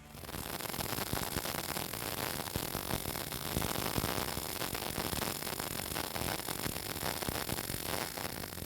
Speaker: Having this dialed in right means it should sound nice and crispy, if you will, almost like sizzling bacon.